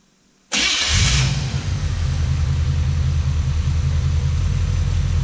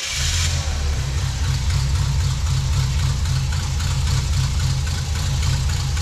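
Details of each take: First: Wrecker V8 with Toker cam, after retiming with a timing light (about 18 degrees read, then distributor reset): cranks, catches at once, then a steady even low idle rumble with no misses or knocks; sounds good. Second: Wrecker V8 with Toker cam at idle before timing: steady, soft, slightly sluggish even low rumble; timing light shows only about three degrees before top dead centre with vacuum advance connected, so base ignition timing is too far retarded.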